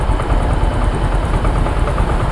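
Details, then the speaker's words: Yamaha Mio M3/Mio J scooter after replacing the faulty injector nozzle that caused misfiring and no idle: steady, even putter with no stumbling or misses; normal idle restored. "Nah ini ya tidak terdengar brebet-brebet lagi nah ini ya oke sip mantap sekali ya teman-teman"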